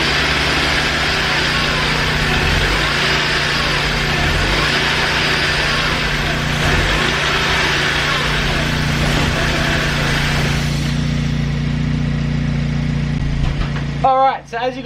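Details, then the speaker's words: BMW E46 318i, first start after starter motor replacement; engine idles unevenly with a lumpy, wavering low beat and hissy top end. Rough idle, cause not identified. "you guys just saw there it was idling really really rough still it does start though which is awesome"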